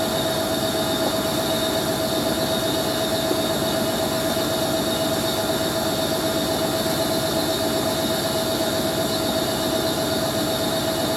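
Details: Hoover A3060 Electronic 1100 washing machine on Fast Coloureds 60°C programme, fast spin: steady fast-spin roar with constant thin squeal on top; dry motor bearings screeching at high speed.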